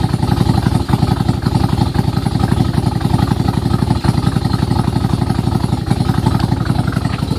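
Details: Nissan Z31 idling on a very cold morning; loud, choppy chuffing with an uneven, cam-like lope, caused by the timing belt being one tooth off plus exhaust leaks from a broken head stud, a cracked manifold and a broken manifold-to-crossover stud.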